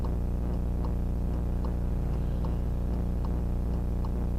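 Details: VIOFO A119S dashcam footage: steady tick about four times a second through the whole recording over low engine drone; very loud unexplained ticking noise picked up by the dashcam.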